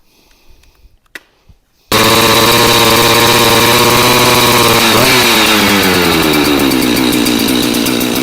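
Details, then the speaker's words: Husqvarna 365 Special chainsaw with lots of compression, started in single-digit cold after 3 pulls: fires then holds a steady high buzz rising slightly as it settles; running clean and strong. "It took 3 pulls and that saw started up. So this is going to be a great saw, 565, 365 special."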